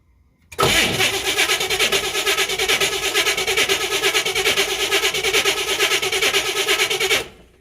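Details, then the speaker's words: 1967 Camaro RS SS, 15,000 original miles, sitting 40 years, fuel in the bowl without running the pump: starter cranks steadily without firing; leaking carburetor, coil suspected, owner concludes an ignition problem; crank no start. "I don't like that carburetor already because it's leaking. Yeah. And we've got an ignition problem now."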